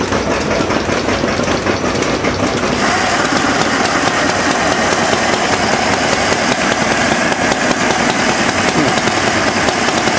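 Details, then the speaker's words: Homemade water-cooled Briggs & Stratton single-cylinder, cold first-thing-in-the-morning start on choke: it fires and settles into a steady, busy chuff with no knocks or misses. "so it starts and runs good."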